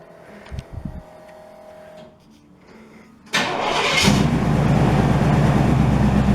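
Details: 1968 GMC truck, first start in 20 years: a few quiet seconds, then the V8 catches and settles into a loud, deep, even rumble; starts cleanly and runs well, exhaust very loud.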